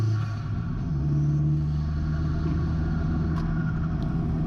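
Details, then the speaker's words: Fiat 500 Abarth lowered on coilovers, driving with a steady low rumble and no front clunk after the passenger front strut top mount was replaced and preloaded. "into that struts rock-solid now and the clunk is gone"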